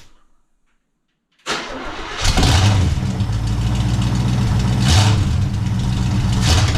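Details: 1974 International pickup engine first start after exhaust and muffler rework for differential clearance: starter catches at once, settling into a deep, throaty idle with a couple of blips; runs fine, sounds better than it was.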